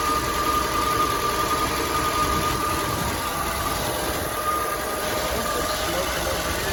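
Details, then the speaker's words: 1964 Chevrolet C20 long bed that sat 19 years, started after fixing a leaking fuel line: loud, rough running with busy uneven clatter over a thin tone; very noisy and smoking, owner hopes worn rings will come around. "so see if it'll start now laughs as well oh she is very noisy that's a whole lot of Bullseye"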